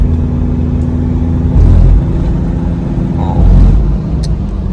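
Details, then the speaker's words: 2005 Toyota Fortuner diesel, standard unmapped, after repair of heavy white morning smoke: smooth pull rising and easing with the throttle, no ticking or knocking over road rumble; engine sounds quiet and healthy. "นี่ไม่มีเสียงเขตนะฮะเสียงเครื่องเงียบเพราะเลยนะครับ"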